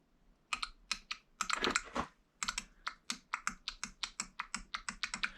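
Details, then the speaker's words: 2014 Nissan Rogue VVT oil solenoid bench-tested off the engine during replacement for a skipping, misfire-like symptom; crisp even clicks in quick bursts, opens and closes freely: normal VVT solenoid clicking. "this one actually sounds a little different than that first one but it still opens and closes freely"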